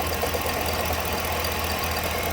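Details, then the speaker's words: 2011 Ford Expedition 5.4 3-valve V8 with 200,000+ miles, about 2 quarts low on oil, idling with a steady low rumble and light regular knock; AC compressor separately seized. "This, you hear it pretty clear. That knocking type issue, that's another thing."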